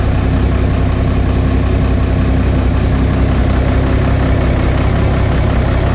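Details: Diesel 60-series ute after fitting a new 120 amp alternator and Munro turbo parts: steady, even idle with a regular low thrum and no knocks, squeals or misses; running healthy.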